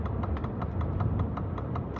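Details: Ford Lightning limping off I5 with motor overheating, power reduced to 40%, electrical faults: crisp even ticks about five per second over road rumble; turn signal flashing far too fast, not normal, cause unknown.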